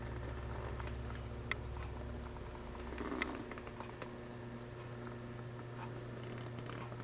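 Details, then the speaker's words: Bogen CHB-10A tube PA amplifier being converted from 7868 to 7591 tubes, powered on with the tubes removed and drawing about 4.5 W: a steady low transformer hum with a faint buzz, after a hot smell was noticed; cause suspected. "humming it's humming like transformer hum"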